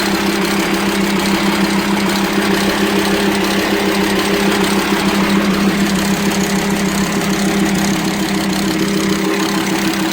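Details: VW Transporter T5 2.5 AXD/AXE diesel: uneven clatter and ticking at idle, about three a second, low power, noise from head and intake, metal dust in oil. Camshaft worn by lack of lubrication from leaking plugs; fixed by welding the plugs and replacing camshaft, tappets and bearings.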